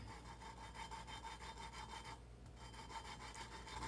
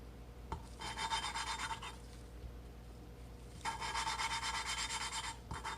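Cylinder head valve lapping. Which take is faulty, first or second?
first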